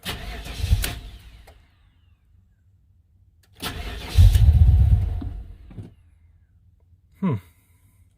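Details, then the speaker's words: 1995 Impala SS LT1 V8 fires and briefly runs, then dies, twice; stalling from a vacuum leak via brittle, cracked vacuum hoses at the throttle body, fixed by replacing purge solenoid and hoses. "and dies okay we're gonna stop why don't we kill the battery"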